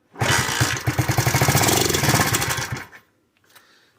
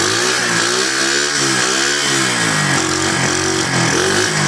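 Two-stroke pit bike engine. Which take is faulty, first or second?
first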